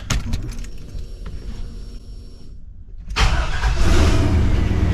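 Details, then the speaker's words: 1986 Chevrolet C20 Suburban with 6.0 LQ4 LS swap, test fire after replacing cam position sensor (code P0343, loose cam gear): about three seconds of cranking, then fires cleanly into an even run; exhaust leaks remain; normal start. "sounds better firing up pretty good still got exhaust leaks so not good"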